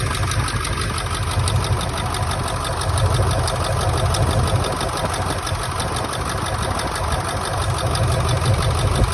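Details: 1999 Ford F-350 7.3 Powerstroke diesel idling rough: low lumpy beat about three a second, stumbling, one cylinder dropping out; injectors unplugged and oil outlets checked, one showing no oil; likely dead injector, not confirmed.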